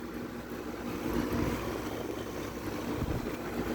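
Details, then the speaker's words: Window air conditioner running in high humidity after thunderstorms: fan and compressor hum with irregular splashing swishes as the fan slings condensate water collected in the base pan. "had some pretty nasty rain thunderstorms humidities high so it is sloshing water"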